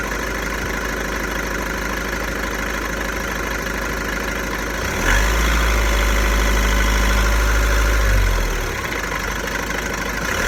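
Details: VW Golf 1.6 TDI diesel, 90,000 km, rattly idle swelling into a deeper, louder drone for a few seconds, then settling back; owner suspects the dual-mass flywheel, not confirmed.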